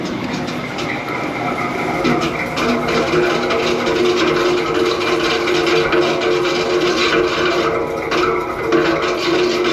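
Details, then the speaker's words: PoolPak RTU 13 rooftop unit: heavy, churning, train-like rumble with gritty grinding and droning tones, the blade possibly rubbing; failing fan bearing suspected, not confirmed, unit not safe to leave running. "That's got to be a bearing bed or something in there, huh? Oh my goodness."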